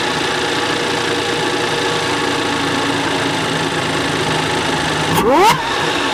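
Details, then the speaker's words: Audi Q5 3.0 TFSI supercharged engine, after K&N air filter upgrade and welded snapped catalytic converter: steady smooth idle, then quick blip with rising and falling supercharger/intake whine settling back; normal healthy idle and rev. "because we upgraded the air filter. Makes nice noises now."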